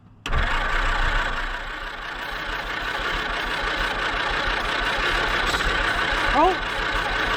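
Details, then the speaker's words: 1946 Jeep Willys CJ-2A after sitting for years, first start after new plug wires restored spark and two-stroke mix poured in: cranks, catches and runs steadily but slightly unevenly, no knocks: engine starts and runs. "oh she'll run all righty so it's been a few days since I've touched this and since we've got the motor to fire over so that's actually good"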